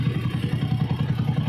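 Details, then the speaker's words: Single-cylinder motorcycle after repair that replaced the timing gear, bearings and crankshaft parts and corrected transmission washers: even steady low idle putter, the tinny rattle now gone; runs smooth, valves still to be adjusted. "Ayan po siya napakagandang andar na po ng motor niya Ayan Wala na po yung tunog lata na maingay sa kanyang makina Ayan po buong-buo na po ung tulog niya yan napakagandang andar"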